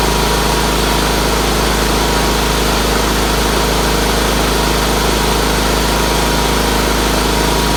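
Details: Red Roper with BFM twin engine, running after fitting a fuel filter, finishing the fuel line to the fuel pump and refitting the carburetor pulse line; owner suspected a weak fuel pump earlier. Steady, even low thrum at clean idle, running good after a little tuning.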